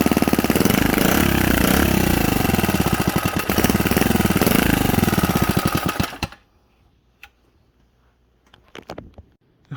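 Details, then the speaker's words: Predator 79cc single-cylinder engine, governor removed, 22 lb springs, fresh valve lash, carburetor on a new spacer, started on choke: revs hunt erratically at about four firings a second, then it cuts out; rough running, and the carb needs adjustment. "right guys we got a runner it might not be the best runner at this second but guys that's just some tuning"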